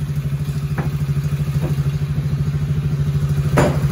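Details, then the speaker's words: TAO 110cc ATV after a swap to a brand-new engine: small single-cylinder idles with an even, steady beat and a few light clicks; no hesitation and far more power than the old low-compression engine; normal idle. "There's no hesitation in that thing. Whoa. Yeah, I wouldn't do that before. No, I didn't have that kind of power."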